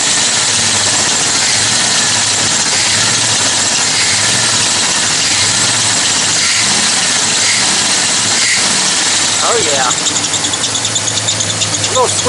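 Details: Rebuilt Mopar 360 small block in a late-1990s Dodge Ram 2500 after correcting firing order and vacuum leaks: even, steady idle with no misses or knocks, just a faint belt chirp; runs healthy, a little smoke.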